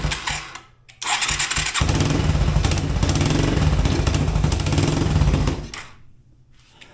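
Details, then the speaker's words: Yamaha 225DX three-wheeler after factory carb repair and float adjustment, started on a jump pack: fires and runs lumpy for about four seconds, then stalls. Rough running, needs adjustment, cause unconfirmed. "so far so good we're gonna have to make a few adjustments it sounds like oh I think we lost our jump pack it's not wanting to stay running"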